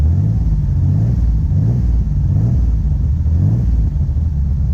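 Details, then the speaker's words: 1973 Datsun 240Z, rebuilt L24 inline six with carburetors, hot day: deep, even rumble with gentle low throttle blips, a slight carb cough, under 2000 rpm as the new camshaft awaits break-in; normal exhaust note. "a little cough out of the carburetors still getting the balls filled up but listen to this exhaust note I can't really rev it because I got a break in the camshaft"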